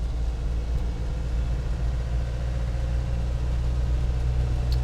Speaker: And we're in fourth gear right now, just cruising at about 35 miles an hour. So far, so good. Very quiet, very smooth vehicle. I mean, very quiet for a Defender.